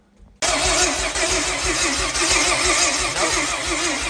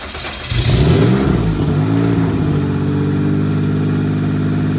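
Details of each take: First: Rear-wheel-drive Honda Civic race car with slow-cranking complaint: starter spins the engine at an even rhythm with no firing; crank no start, no spark and no fuel. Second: Rear-wheel-drive Honda Civic race car, after its slow-cranking issue was worked on: engine catches, revs briefly, then settles into a steady even idle with no stumbling or grinding, running normally.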